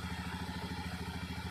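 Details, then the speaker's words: Honda Scoopy FI after repairing rat-chewed wire to the ignition coil that caused no spark: even, regular idle putter, steady firing pulses, no misses or knocks; running normally. "teman-teman karena motornya sudah normal kembali ini kita tinggal rapikan aja nanti"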